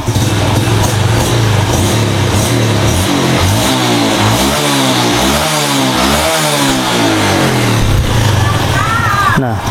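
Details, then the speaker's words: Yamaha Jupiter Z1 engine, hot, after a cylinder block rebuild that had run rough and ticking when hot: revved hard, pitch sweeping up and down, then settles back to a smooth steady idle with no knock; normal. "digeber habis digeber suaranya kembali langsam bagus"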